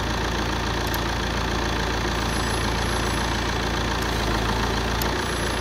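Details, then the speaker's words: SAAB 9-3 with code P1530 (A/C relay open circuit), relay control pin grounded by hand at idle: faint relay clicks and a dip in engine note as the compressor clutch cuts in and out; ECU control of the relay lost, wire runs to engine ECU. "hear that changing note you can hear the relay click you can hear the compressor cutting in and out so we've lost control on this relay"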